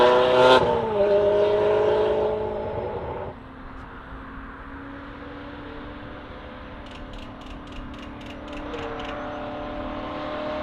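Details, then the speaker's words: Ferrari F430 after the pops-and-bangs tune that caused surging was removed: short rev, then a steady, even idle that holds without hunting or surging; running smoothly. "well it sounds like it's not doing the surging so that was the problem is the original tune they're trying to do some of the pops and bangs"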